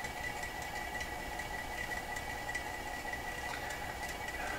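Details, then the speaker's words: Garrard 3000 record changer from an Emerson EH23A console, powered through a dim-bulb tester and run in manual at 78 rpm: a faint steady whir with a thin high tone and scattered light ticks; some unidentified noise inside. "Well, looks like it's ripping right along at 78, that's what I would say. Some kind of noise in there."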